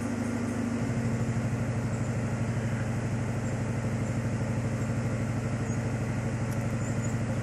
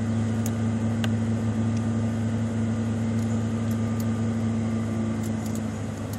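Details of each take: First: 1995 Ford Mustang GT (OBD1) during a key-on engine-running self-test: engine idles unevenly with a lumpy, loping beat and noticeable rpm dips partway through; rough idle with rpm dips. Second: 1995 Ford Mustang GT V8 (OBD1) during KOER engine-running self-test via jumpered EEC self-test connector: RPMs shoot up two to three minutes while codes output; steady raised idle with even low hum, no knocks or misses, normal fast idle.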